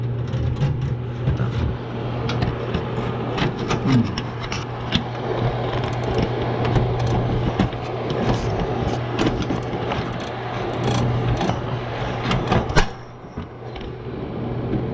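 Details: Washroom ceiling exhaust fan, previously noisy, reassembled after a touching part was moved away. Steady low motor hum with scattered clicks and background music; fan running normally.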